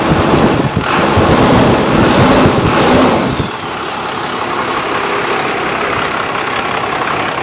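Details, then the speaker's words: Junkyard 1995 Dodge Cummins 12-valve P-pump diesel, 172,000 miles, first start after sitting, fuel solenoid holding: rev settles to steady even clatter with turbo whistle, normal idle, 40 psi oil pressure. "Turbo spinning. Beautiful. Look at that. Gauges are working. 40 pounds of oil pressure."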